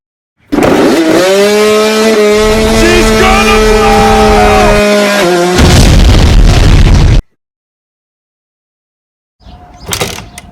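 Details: 1992 Suzuki RM125 two-stroke dirt bike, first start after a five-month rebuild with the carburetor just installed: crisp rattle settling into a steady high idle, then a clean blip and cutoff; the rebuilt engine runs healthy, and idle still needs tuning.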